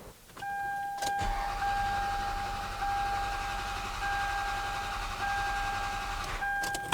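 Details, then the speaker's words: 2002 Toyota Solara, about 300,000 miles, overheated and died, cranking with ignition fuse pulled after a repair involving the tensioner: starter whines steadily with an even cranking beat, no lazy stroke; compression now even. "We're going to repeat our compression test here and we're going to see that the compression will be even."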